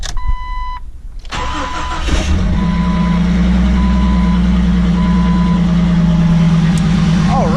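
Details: Jeep XJ that would not idle, after fitting a throttle body with good sensors and reconnecting the battery; a short chime, then it cranks, fires at once and settles into a smooth steady idle that holds on its own: normal idle.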